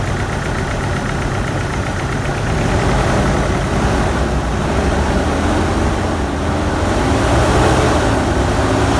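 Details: GMC 2.8L four-cylinder truck engine with cylinder 3 misfiring: uneven, lumpy idle with rhythmic stumble, caused by that cylinder's ignition coil accidentally broken during removal for a timing chain repair; no codes on scanner.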